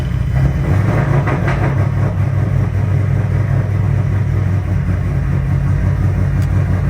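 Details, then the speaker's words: Built Ford Mustang on E85 started on a cold day, with a known slight header gasket tick: deep loud rumble running unevenly and lumpy instead of settling to smooth idle; rough cold start. "Man, it is a cold one today. Oh, it does not like the cold."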